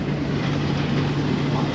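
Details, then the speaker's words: Machine harvesting oats in tough crop: a deep, steady, heavy grumbling drone as the engine labours under load without stalling; the operator slowed down. "You can sort of... You can hear it, can't you? It's like a grumbling."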